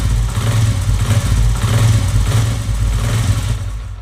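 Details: Honda CD70 motorcycle revved with the clutch lever held: an uneven low rattle rides over the engine note. Clutch hub damper springs have gone loose and chatter, sounding like a bad connecting rod or clutch box.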